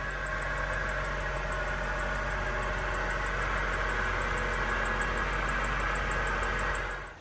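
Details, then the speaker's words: 2003 Honda CR-V with the K24 engine at idle: a thin high chirp repeats several times a second, a squealing accessory belt that first appeared only when cold and is now constant; the water pump, tensioner and belt are being replaced. "so this is how the sound sounds like it's just a car at idle"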